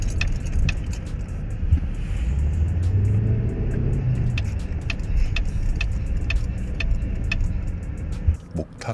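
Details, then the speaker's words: Mercedes GLS 580, three months after delivery: sharp wooden ticks, about two a second, from the B-pillar area over low rumble while creeping into an underground car park, as the front shocks compress and rebound; suspected structural defect. "b 필로 이 쪽에서 소리가 엄청나게 나옵니다 엄청나게 나 어떤 느낌이 냐 면 차가 이렇게 움 꿍 하고 밑에 앞에 쇼바가 내려갔다가 다시 원복 될 때 똑딱똑딱 이렇게 됩니다"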